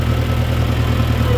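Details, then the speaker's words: International Harvester 504/2504 tractor backhoe, timing set and another exhaust fitted so it's quieter, settles to a deep, steady idle with loud but even exhaust beat, no stumble or knock; owner unsure if running lean or not rich enough; normal idle. "Listen to it run though. Oh my god. I've got that timing. I put another exhaust on it so it's a little quieter."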